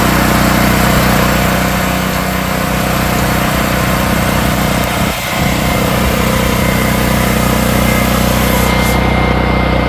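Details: Generac RS8000E 8000-watt battery-start generator after starting, knob switched to run: loud, steady engine drone holding an even speed throughout with no misses or surging; running normally.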